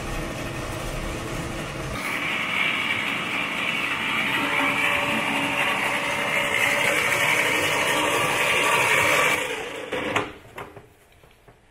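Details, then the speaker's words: 1941 Plymouth barn find, engine unstarted for 50 years, now turning freely with plugs out earlier: starter cranks evenly about eight seconds but the engine never fires; cranks, no start, end of day two. "end of day two two yeah day two and the vehicle still not running sadly but uh making progress it turns over"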